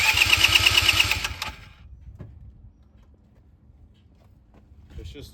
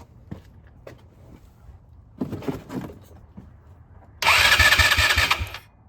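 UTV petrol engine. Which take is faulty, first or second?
second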